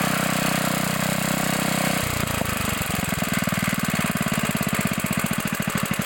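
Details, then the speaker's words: 1960s Bolens 28-inch Lawn Keeper mower, unadjusted carburetor, untouched at least 15 years, mowing grass: engine settles from a rough patch into a regular, firm putt under load; nothing off, normal running. "this thing is amazing it sounds good it runs good I have not adjusted the carpetrator at all"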